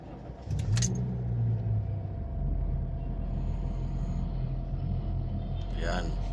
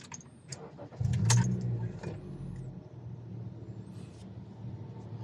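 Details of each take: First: 2018 Honda City, inside cabin: engine starts and settles into a heavy booming low drone with strong steering wheel vibration, caused by flattened, worn engine mounts; engine itself fine. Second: 2018 Honda City after replacing the engine supports: starts and settles to a low, smooth, even idle. Before, strong vibration came through the steering wheel and engine noise filled the cabin.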